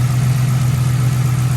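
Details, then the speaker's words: Police car at idle after two quarts of Mercon V transmission fluid were added; seller had said it had a misfire, but the idle is a smooth, even low drone with no stumbles, skips or shaking, not yet fully warm; normal idle. "it seems to be he said it had a misfire I don't hear anything yeah maybe when it warms up fully okay as you can see it's not even shaking"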